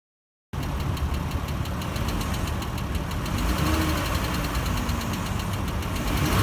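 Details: 3.6L Chrysler Pentastar V6 in a family van idling with a light, quick ticking about three times a second, blamed on failed roller rocker arms; before-and-after-repair comparison.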